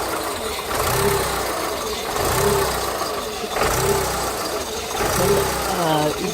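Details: 2000 VW Polo 1.0 idling: rough, lumpy beat stumbling about every second and a half; a misfire whose cause was not found.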